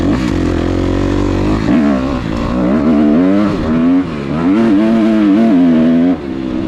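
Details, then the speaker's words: Kawasaki KX250F fuel-injected four-stroke dirt bike, riding after replacing the $9 fuel pump filter/strainer that had caused bad bogging, backfiring and lean running: crisp revs climb and drop cleanly with the throttle, no bog, stutter or popping; normal revving. "The bike runs absolutely great. Throttle response is perfect."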